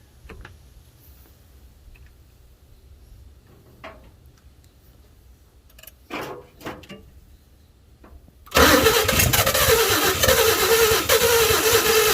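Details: 1952 Chevy with new Autolite plugs, carburetor filter off, gas poured down the carburetor: after a quiet lead-in, an even, rapid starter churn for several seconds that never catches. It cranks but won't start; the owner suspects low compression from seized rings and a weak fuel pump.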